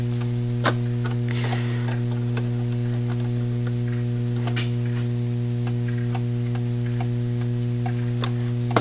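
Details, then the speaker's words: Seth Thomas clock movement being set in beat: sharp ticks over a mains hum, with tick and tock slightly uneven (timer balance reading in the 40s). It needs a small beat adjustment to one side. "if you get it just minimal swing tick tick it sounds like it's got to go that way just a hair"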